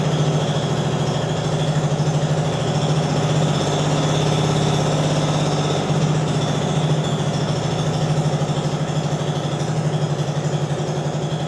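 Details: Translucidus MT02 transparent educational single-cylinder Otto-cycle engine with electric fuel pump running as a demonstration; even, steady low hum with constant firing beat, no knocks or misses, normal healthy running.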